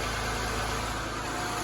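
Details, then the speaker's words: Saturn Vue Redline after water pump and timing belt replacement, previously leaking antifreeze; smooth, steady idle with even low hum, no knocks, ticks or whine; runs like new, being watched for overheating. "all right guys you hear it running like a brand new one"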